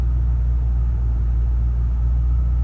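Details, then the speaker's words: Lexus GS430 V8, just restarted after exhaust valve guide replacement, new valve stem seals and a cylinder head skim to fix oil consumption, with a low, smooth, steady idle and no ticking, misfire or wavering; idle absolutely spot on. "But the engine is idling absolutely spot on."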